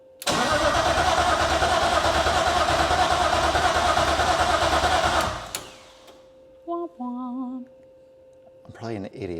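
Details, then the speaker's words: BMW E36 SpecE36 race car, fuel system primed, true first start after rewiring: steady fast cranking about five seconds with no firing and no fuel pump heard; crank no start, later traced to fuel pump/main relay-ECU wiring from a moved bracket. "all right so this isn't going well so far what did I forget I probably forgot a ground somewhere or something I don't think I hear the fuel pumps are run"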